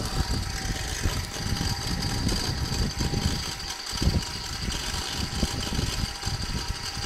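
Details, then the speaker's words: Used electric wet grinder running: steady motor hum with loose rattling clatter from its gear drive, said to be normal for this machine. "nó cũng kêu lọc cọc lọc cọc cọc cọc nên kêu cho cái cái ổ cái ổ nhông của nó"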